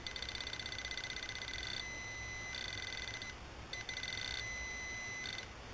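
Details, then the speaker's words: Repaired Garrett Propointer pinpointer: its buzzer gives a faint, thin, fast-pulsing high buzz. Epoxy got into the small speaker during the repair, so it works but is not as loud as before. "Like I said, I did get a little bit of that epoxy inside that little speaker, the buzzer, so to speak."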